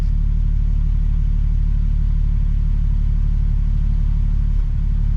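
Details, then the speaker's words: Nissan 370Z at idle, a deep chug about three per second with occasional hiccups. It is still misfiring after valve cover gasket and spark plug work, and the cause is not yet found. "yo let me oh this is still misfiring bro [ __ ] [ __ ] cars let me see let me sit down maybe i'm just paranoid but no yeah it's still misfiring bro"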